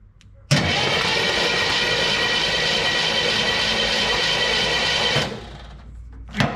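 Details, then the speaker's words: 1963 Chevrolet Impala SS off the road 35+ years, cranked via remote start button at the solenoid: even, smooth starter whirr for five seconds, oil squirting from cylinders; no spark found at coil; cranks but no start. "there it goes cranks over all the oil is squirting out of the cylinders"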